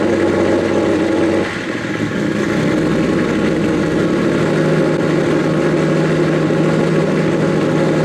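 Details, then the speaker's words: Nissan S15 started after the issue was resolved: fires right up with no hesitation and holds a steady, even idle with a brief rev blip, running normally; some exhaust leaks are still audible under the car. "well yeah guys there she is fires right up no hesitation turns on like OEM"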